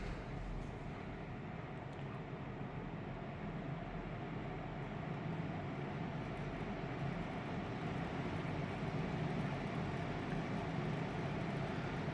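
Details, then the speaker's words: Haier three-star air conditioner, indoor fan at full speed: steady, even rushing air, fairly loud throughout, with no knocks or rattles. Loud fan noise at high speed. "यह है इसकी full speed में noise. इतनी आवाज करेगी कि आप अगर हेयर की एसी ले रहे हैं।"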